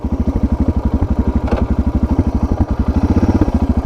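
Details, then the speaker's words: Suzuki DR650 single after carburettor and air box modification, just after turning a carb screw about half a turn: loping, uneven chugging idle with pops; owner finds it less responsive and plans to reverse the adjustment. "It seems to be chugging a bit more. I don't like it. I think it's popping out. Or what's the word? I don't think it's as responsive as it was before."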